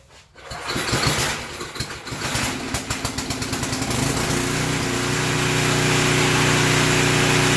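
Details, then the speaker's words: Portable generator after the surging repair, started on choke: it cranks, catches and settles within seconds into an even, steady drone with no hunting or surging; runs normally. "all right guys y'all heard it steady no surgeon we did what we set out to thank you"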